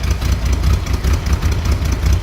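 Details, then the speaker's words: 1965 Chevrolet Corvair Corsa convertible, flat-six, in neutral, heard from the rear: low even burble with steady throb at idle, no knocks or misses; runs incredibly smooth. "See how easily it starts? Slip around to the back. I mean, the engine runs just incredibly smooth."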